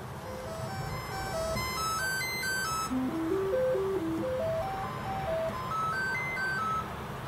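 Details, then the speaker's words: Commodore 64 with Tynemouth Software PLA replacement and a worn SID chip, running the sound test: stepped scale of tones rises and falls, but one voice is missing and the noise channel is very faint; failing SID channel. "bearing in mind this has got a crusty Sid so I think one of the channels is not working um but you can still hear the you know the the scale of uh tones and things coming out of the thing"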